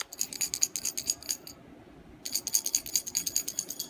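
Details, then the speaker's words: HKS blow-off valve, broken: bright dry rattle in quick shaken bursts with pauses, something loose inside with nothing visible externally. "inside you could hear it rattling and then there's nothing you can really see just other things that has to be something inside and loose"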